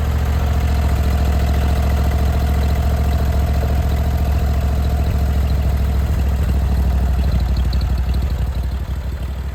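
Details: Briggs & Stratton Vanguard V-twin on a Vermeer SC362 stump cutter, idling after bent push rod replacement and valve lash adjustment; steady even low idle, regular beat, no misses or knocks, smoother than before with minimal vibration.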